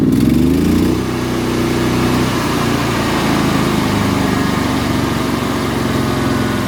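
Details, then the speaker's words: Hobart Champion Elite 225 welder engine after idle solenoid fix: switching from run to auto idle, it drops from high speed to a steady low idle instantly with no hesitation, where before the fix the drop was slow. "But like I even noticed before when when I would use the switch to go from run to auto idle, it would take a while to do that. It wouldn't be an instant thing. It's instant now."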